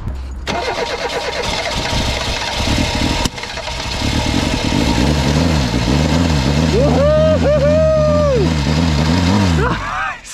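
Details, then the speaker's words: 1988 Reliant Rialto that would not start, brake/contact cleaner sprayed in at near full throttle: fires and revs in uneven surges, then fades out; runs only on cleaner, fuel starvation with no fuel reaching it. "so we've got it running on brake running on brake cleaner"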